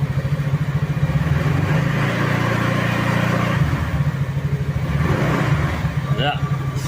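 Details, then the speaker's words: Easyride 150Fi scooter, about 4 months old, revved after refitting the fairings and windshield, with tape wrapped on the visor bracket: it holds higher revs smoothly, and the earlier panel vibration and rattle are gone. "success nawala yung vibrate niya dahil doon kaya mas maganda simple lang"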